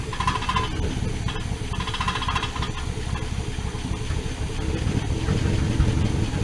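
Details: 1979 Dodge D100 Adventurer V8 pickup with a newly installed mini starter: strong, even cranking with a deep rumble building as it begins to catch. Normal cranking.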